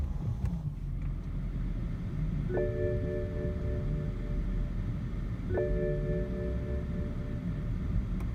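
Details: BMW E60 530i petrol six: uneven, lumpy low rumble at idle with two dash chimes; rough idle and the engine dies after start, traced to the mass air flow sensor.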